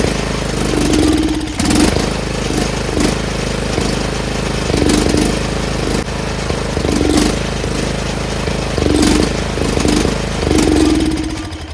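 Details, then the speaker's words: Troy-Bilt 30-inch rear engine rider mower, off choke on oil-gas mix: small engine surges and sags every second or two as if starving; fuel starvation. "So we know it runs, but it's not getting fuel. That sucks. Why isn't it getting fuel? I think that nozzle is just not getting enough fuel."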